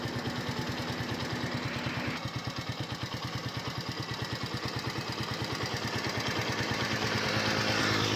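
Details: 2021 United 70cc motorcycle, started for an engine sound check: steady, even single-cylinder putter at about three beats a second, no knocks or rattles. Healthy idle.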